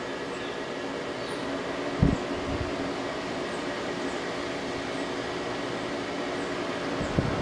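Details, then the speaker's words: 2001 General Electric Quiet Aire air conditioner with LG Hero compressor, warmed up after about five minutes, cycling low, medium, high: low steady hum with faint constant tone, no rattle or squeal; quiet even on high. "yeah so it is very quiet as as the name would suggest that's low medium high it's even quiet and high"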